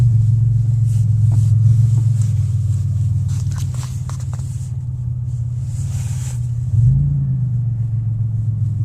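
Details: 2001 Pontiac Grand Am: heavy loud low drone from the engine on starting, swelling briefly as revs rise, with vibration and noise worsening under acceleration.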